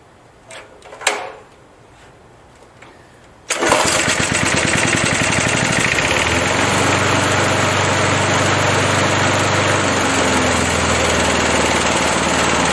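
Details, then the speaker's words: 37-year-old Montgomery Ward mower, Briggs & Stratton 3.0 hp 92502 Vacu-Jet carb, hot start after choke diaphragm replacement for hard hot starting: a couple of pulls, catches straight away, steady even run; fixed. "going to start it hot on half throttle well i think it's safe to say it's fixed and we'll call that job done"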